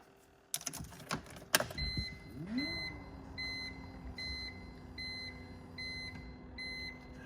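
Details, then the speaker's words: BMW E46 after fuel filter replacement, ignition on without starting to prime fuel: low electric hum spins up and settles to steady drone under repeating dash chimes; fuel pump priming normally. "you should hear the fuel pump running for about 5 or 10 seconds and that should have primed it"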